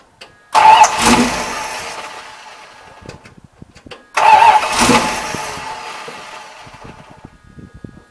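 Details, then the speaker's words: 1978 Dodge Warlock V8 after draining old fuel and refilling with fresh gas: two quick crank-and-catch starts, each firing promptly with a strong rev settling to a good idle once the bowls filled; normal start and idle. "but man fire right up idle great once it filled up the bowls man it sounded real good"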